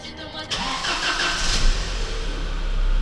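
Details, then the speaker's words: 1998 Volkswagen Passat B5, 480,000 km, winter, after starter overhaul (worn brushes and bushings, cleaning): starter spins the engine briskly and evenly with no dragging or grinding; cranking sound clearly improved, strong. "крашенько хлопці кращенко набагато краще навіть і тут нема але звук стартера помінявся набагато кращу сторону відчувається жива енергія"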